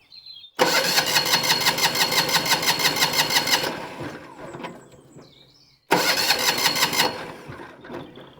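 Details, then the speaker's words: Winget mixer single-cylinder diesel, fuel tank reconnected to test fuel pump output: cranking chug that dies away then cranks again; pump works only intermittently, suspected fuel delivery problem with dirty fuel from tank. Intermittent fuel delivery. "She's working. intermittently. It has to be said of mind. I'm wondering if that's to do with our fuel delivery through that stop."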